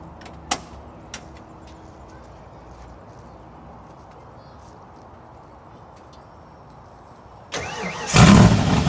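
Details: 1986 Mustang GT 5.0, stock '90 shortblock, ported E7 heads, B303 cam, stock EEC, 19 lb injectors, long-tube headers, glasspack mufflers, solid mounts: quick crank and catch into a deep loud rumble that settles straight into running; healthy start.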